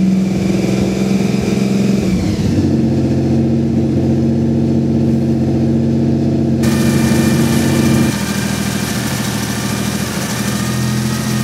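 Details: Nissan VG30DETT engine, owner finds the sound strange: steady running then revs, with a persistent droning tone riding over the beat; something seems off, source unclear.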